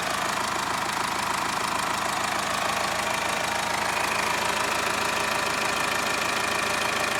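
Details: Subaru EE20 diesel after bearing saddle repair with new D16T aviation duralumin saddles: even, steady diesel clatter at settled idle, no heavy knock or misfire; bottom end sounds healthy.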